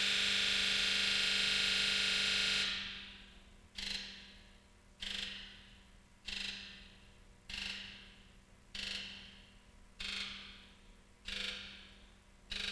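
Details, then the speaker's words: OTC Genisys Touch scan tool running a key-on, engine-off injector buzz test: a steady buzz of about 2.5 seconds with all injectors together, then eight sharp bursts about every 1.25 seconds, one injector at a time. "During the injector buzz test, what will happen is you'll hear the injectors buzz once all together, and then independently they'll buzz one at a time."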